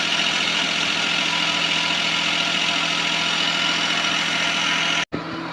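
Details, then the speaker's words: Suzuki Palette wagon engine idling after adjusting belt tension bolts: smooth and even, no squeal or chirp from the belts. "So ngayon paandarin natin guys para magkaalaman na kung tutunog pa ba kung mayingay pa ba."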